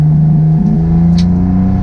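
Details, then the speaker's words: Restored Mitsubishi 3000GT VR4 on its first drive: the engine note never climbs properly under full throttle, with uneven dips, breaking up badly. It only boosts when eased into. No check-engine light. "it's not running right at all it's breaking up those full-throttle did nothing"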